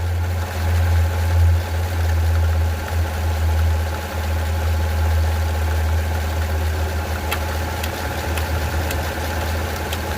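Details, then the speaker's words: Gen 5 GM LT V8, fairly new engine: an uneven knock with sharp ticks over a heavy idle rumble, and the engine physically jerks; it happens only at idle, not at higher rpm. The owner suspects the timing chain or a broken tensioner. "When you hear that noise, I can physically feel the engine jerking. My guess it could be the timing chain or the tensioner. It does not do it at higher RPM."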